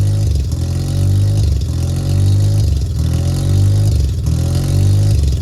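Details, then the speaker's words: Mazda RX-7 rotary engine started after sitting over 2 years, idle air control valve plug reconnected: loud, lumpy idle surging and sagging about every second as it hunts while cold; stops searching and idles nicely once warm. "it does search for idle right now until it gets warmed up and then it stops searching and it just idles runs nicely"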